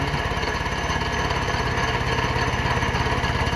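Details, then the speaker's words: Honda K-series open-deck block (flood/rainwater-damaged core, believed only hot-tanked) being machined for pinned-deck conversion; insert re-dialed with a new cutting edge, very light cut. Even, rhythmic thumping about 3.5 per second over the motor, smooth and consistent: cutting clean. "so it's cutting good now I dialed it right back in with a new Edge which is like what I was going to say so that new Edge is definitely doing a good job"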